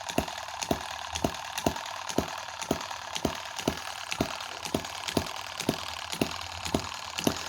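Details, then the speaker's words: Tiny Chinese M17 4-stroke gas hit-and-miss model engine: sharp, even firing pops about twice a second with quiet coasting between. A switch stops the ignition ticking. Clean, healthy hit-and-miss running. "now how quiet is that because that switch is stopping the tick tick tick tick of the I mean that's look at that isn't that sweet"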